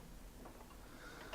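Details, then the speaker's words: Trash-picked 90s Aiwa PX-E855 automatic turntable: one crisp mechanical click as the auto mechanism trips, behaving as it should; normal automatic mechanism click. "let's see what it does a few cups behaves as it should nice"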